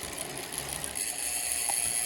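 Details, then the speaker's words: Dolan L'Etape SL Disc road bike rear freehub, reportedly re-greased but suspected not actually serviced; fast, sharp ratcheting clicks over a light rattle while freewheeling, same noise as when a previous freehub failed after 300 miles: noisy freehub. "clearly because the free orbs not been serviced because that is still making the same noise"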